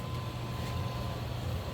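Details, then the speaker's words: Furnace with a newly installed Aprilaire 720A humidifier wired to the board's HUM terminals (ComfortNet communicating thermostat), first power-up; steady low blower rumble with a faint constant whine, no rattles or surging. Normal furnace startup. "Oh, look at that! Furnace is powering on."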